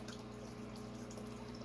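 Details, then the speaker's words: Native tank with a fountain feeding into it: soft continuous gurgle and trickle under low pump hum as the fountain return splashes and sucks air into the tank. "you can hear that gurgling in the background that is from my native tank i still need to do something with that way that fountain feeds into it"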